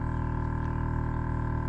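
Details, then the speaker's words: 2009 Acura TL with newly installed Airlift 3P air suspension, not yet calibrated, tanks nearly empty: steady low droning hum with even pulsing beat as the compressor pumps up; normal compressor running. "You can hear it running. The compressor's running the one. We don't have much air in there at all, so it's not calibrated."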